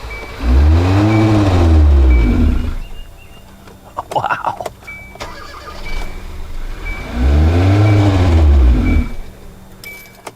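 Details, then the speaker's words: Car at wide-open throttle with pedal on the floor and no fault codes: dull, deep swell that barely climbs before sagging back, engine won't rev or move; plugged exhaust/catalytic converter suspected, not confirmed. "that's just me trying to rev It Up listen this is wide open yeah this this is really bad"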